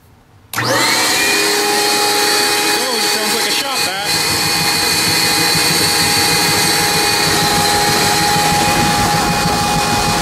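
Quiet, then the blower kicks in hard and holds a loud, steady whoosh with an even high whine; it runs smoothly and healthy.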